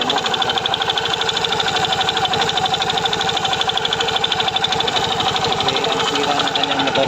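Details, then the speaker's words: Yamaha Mio Soul i 125 scooter idling after fitting the owner's new pulley drive face and back plate; sharp metallic knock unchanged, keeping time with rotation, louder on the other side; worn connecting rod, not the CVT. "Sira po niyan ay connecting rod mga kaibigan. Okay? Hindi po panggilid or pulley back plate bola an pag ganyan ang ingay mga kaibigan. Connecting rod na yan."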